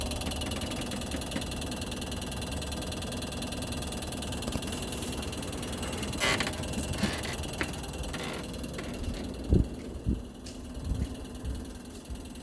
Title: 엘지에어컨 신형 실외기 소음